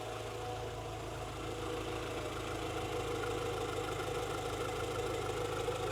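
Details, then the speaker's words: 1998 JDM Honda Integra Type-R DC2 at idle, just started after clutch and timing belt, water pump, seals and engine mount work, warming to operating temperature to bleed the cooling system; smooth steady hum with no knocks or hunting; normal idle. "and guys she sounds really really nice uh all we trying to do now try to get her to Opera in temperature"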